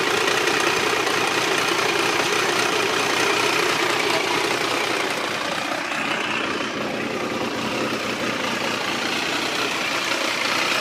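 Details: Triumph 955i motorcycle at idle: a busy, clattery mechanical rattle over the exhaust note. It is always present, worse when hot and louder on the left side; the owner suspects clutch or valves.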